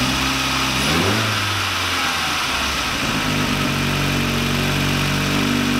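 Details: VW Lupo 1.8T with GT30 turbo, first start after engine damage and rebuild (H-beam rods, new bearings, 2 mm head gasket): quick throttle blip, then a smooth steady idle with no knocking or rattles; runs very well.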